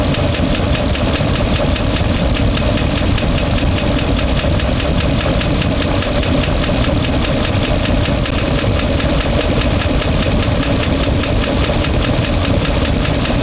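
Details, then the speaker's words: One-ton truck V8 fully warmed to about 200–205°F: steady rapid tick tracking engine speed over a rough, missing idle; owner suspects a collapsed lifter, cause unconfirmed. "still making noise sounds like a collapse um or something like that"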